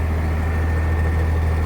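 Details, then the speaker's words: 2004 Blue Bird TC/2000 school bus diesel, sat about two months, roughly 6923 engine hours and 27,790 indicated miles (thought nearer 90,000), oil pressure and voltage present: deep, steady rumble, no knocks or ticks; normal idle. "all right so will it start uh in reality it's actually been sitting for about two months oh yeah i guess stuff we have oil pressure we have voltage pressure"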